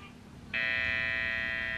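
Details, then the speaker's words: Custom Halloween guitar with guessed electronics wiring and one string, amp turned on for the first time: quiet hiss then a loud, steady high buzz; suspected improper grounding, needs rewiring. "of buzz [Music] that's not good whatever that's on this I think maybe it's not ground properly"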